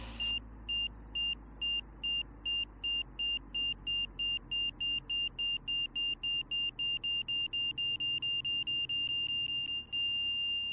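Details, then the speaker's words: Van's RV-6 with Garmin G3X Touch angle-of-attack audio: beeps about three a second quicken and merge into a steady tone reaching the stall at about 52 knots indicated, straight ahead, flaps up. "at about 52 knots indicated that's straight ahead 52 knots indicated for the stall and that was a flaps up"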